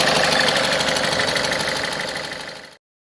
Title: Ford Fiesta 1.4 TDCI engine rattle noise - pulley defect